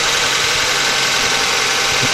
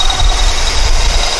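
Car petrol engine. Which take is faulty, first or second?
second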